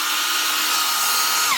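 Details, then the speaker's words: DeWalt DCF899 impact wrench after repair with new anvil, gearbox housing and steel bush: smooth, steady high-pitched motor whine, no rattle or knocking, winding down evenly; running healthy. "New anvil, new gearbox housing, new steel bush. Keep it all nice and tight and running smooth."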